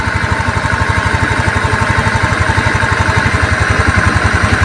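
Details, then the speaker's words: Honda Beat injection that was hard to start and would not idle, after piston ring replacement and ECU reset, kick-started because the battery is dead: an even, steady thump at about four beats a second with good compression. Normal idle. "sini bisa kecil bisa besar karena memang e seer sudah diganti kompresinya Bagus lagi seperti itu teman-teman"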